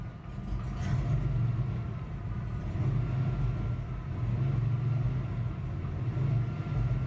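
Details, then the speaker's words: 1986 Ford Ranger after replacing leaking brake booster: low idle rumble swells and sags about every two seconds; bouncy, hunting idle persists, cause still unknown. "i still have this idle issue [Music] but the brakes work good um yeah i gotta figure out what's this idol this like bouncy idol"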